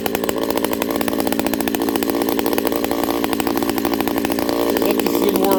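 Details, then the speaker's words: Ported Homelite 922 two-stroke chainsaw after clutch fix, new fuel line and cooler heat-range plug, started on full choke; crisp steady high-rev buzz with clean pickup; running strong and normal. "Let's see how this thing starts now. Full choke, turn it on. Well, that's a good deal."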